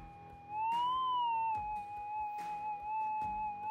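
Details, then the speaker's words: Minelab GPX 6000 metal detector held still after five-second auto tune: steady high threshold tone wavers in pitch and level, heavy EMI present; fix by re-auto-tuning or lowering sensitivity. "and i can start to hear it's fluctuating slightly there is a lot of emi present now"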